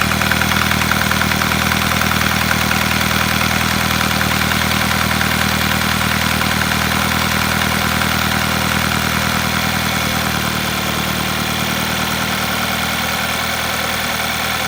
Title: Стук в двигателе Volkswagen Passat B6